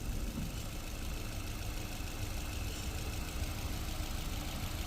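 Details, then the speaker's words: 2021 Maruti Brezza petrol, 50,000 km, after engine overhaul for suspected bent connecting rod, warming at idle without revving: low, steady, even idle with no knocks or ticking; very silent, healthy engine. "क्या बात है बहुत ही ज्यादा silent आवाज हो गई यार मैं कहते हैं ना जो बहुत ही ज्यादा साइलेंट आवाज वो आवाज हो गई साइलेंट"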